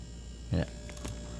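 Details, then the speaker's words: LG refrigerator with a conventional compressor installed the day before, being charged with R134a through a piercing valve: steady low mains hum with a few brief clicks and knocks, its note shifting slightly as it pumps refrigerant. "See, the compressor's making a little different noises while pumping refrigerant."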